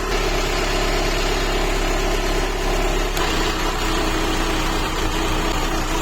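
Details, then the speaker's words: PT Cruiser Cabriolet, cold, choke coming off, check-engine light cleared after previously running nearly on three cylinders: steady, even idle, smooth low hum, no stumbles or misses; normal idle, though it still hesitates on the road. "Là ça a l'air mieux. Ah oui, là c'est mieux."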